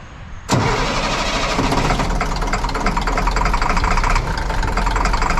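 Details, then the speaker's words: 1998 International 4700 DT466e diesel, previously no-start, after replacing the missing HPOP ferry plug ball; quick crank, fires immediately and holds a steady, even idle clatter; runs smooth, engine warning light on. "and it's it's running smooth right now I've started it twice"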